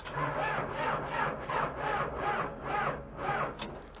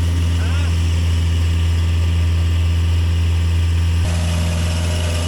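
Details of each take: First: Sky Trak telehandler listed inoperable at equipment auction, weak battery: slow labored cranking, about two strokes a second fading; engine turns freely, not seized; transmission issue suspected. Slow cranking from weak battery. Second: Sky Trak telehandler diesel, started cold outside: steady even low thrum about four beats a second, no misses or knocks, idling down; belts may need dressing or tightening. Normal running.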